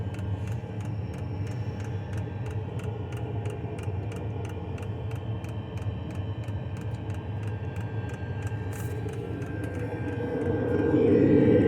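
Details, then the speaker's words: Lavaner Pro 2KW diesel heater installed under Sprinter van passenger seat, heard up close to the fuel pump while running: quiet even ticking about four times a second over a low hum; normal pump pulsing. "even up close to this pump it's pretty quiet and again that's on"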